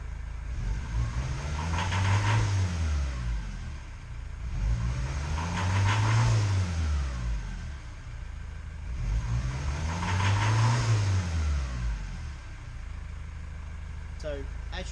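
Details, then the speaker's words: 2006 Ford Transit 2.2 diesel: idles well, but each throttle blip sounds strained and rough with lots of smoke out the back; faulty EGR valve suspected. "Now basically, as you can hear, she idles pretty well. As soon as I throttle her up, you listen. If you look out the back, lots of smoke."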